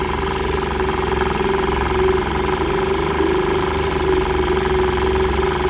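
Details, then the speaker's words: 1946 Elgin (Westbend-built for Sears) 1.25hp outboard, early serial, in test tank after fuel-system rework; rapid buzzy two-stroke putter holds steady idle without stalling, though it sometimes gets finicky and four-cycles at idle; normal idle. "it'll idle fairly steady at that speed as long as it's not choking on its own fumes"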